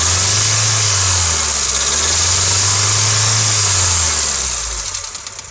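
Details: 2007 Honda Civic LX coupe, 168,000 km, switched from synthetic to regular oil, warmed up at idle: light metallic rattle about two beats a second, slightly uneven, over steady engine hum; source unclear.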